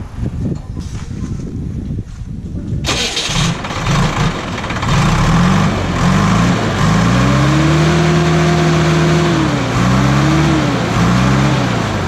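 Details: JCB backhoe loader diesel just after air was bled from the fuel line and the fittings were tightened. The starter grinds briefly, then the engine catches at once and settles into a steady, firm run with some revving. Fuel supply is sound.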